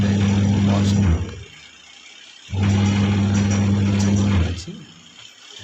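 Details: Whirlpool semi-automatic washing machine after a gearbox change: even low motor hum in roughly two-second bursts with short pauses, no grinding or knocking; washer agitates normally, normal running.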